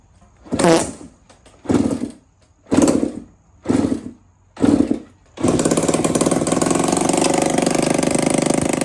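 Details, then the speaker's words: Budget Suzuki RM125 two-stroke dirt bike: five kick strokes, then it fires and settles into a fast, crackly, slightly quacky buzz holding steady; sounds like a duck. "Y'all see the man just started. It do sound like a duck is in there though."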